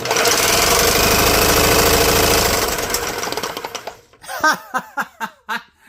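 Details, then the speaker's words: Small engine (GX200/Ducar 212/Duromax 208 type) with 3D-printed side cover, spun by high-RPM drill: rapid regular clatter slowing into separate clunks as it winds down; piston slap, skirt broken off. "Yeah, you can hear the knock of that piston because the skirt's gone."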